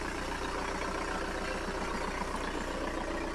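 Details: 1999 VW New Beetle TDI diesel, 5-speed: steady, even diesel clatter at idle with a regular knock rhythm and no misses or extra noises; a healthy diesel idle.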